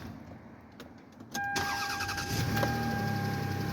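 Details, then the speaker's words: 1999 Lexus ES300, 186,000 miles, just after fuel pump replacement (Delphi pump, Spectra strainer); engine catches at once and settles into an extra-quiet, even idle; start sounds healthy. "there we go started up this is quiet quiet it's extra quiet which is"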